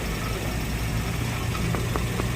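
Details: 2017 Toyota Vios dual VVT-i idling, alternator bearing, water pump and tensioner already replaced: low uneven hum with faint light ticks — CVT transmission noise traced to deformed transmission oil strainer; fluid change planned.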